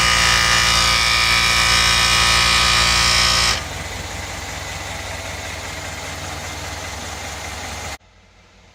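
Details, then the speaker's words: 2013 Mercedes GL550 (X166) AIRMATIC with the front-right buzzing that is worst on cold starts, heard after the valve block was replaced and the fuse reinserted: a loud, steady high-pitched buzz then drops away. The compressor is confirmed as the failing part. "okay yep so it's the compressor so that uh valve block might have helped but it's not the actual problem"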